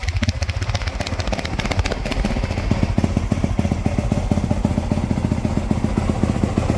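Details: 1995 Suzuki RM125 two-stroke dirt bike with fresh top end, early heat cycle after shop work: crisp, even popping settling into a steady fast idle, no knocks or rattles; healthy.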